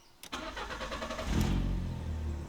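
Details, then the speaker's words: Fiat Bravo, restart after fuel pump replacement and rewiring: brief crank, then the engine catches quickly and settles to a steady, even idle; much better, though a little air may remain in the line. "way better. Of course it still have a little bit of air."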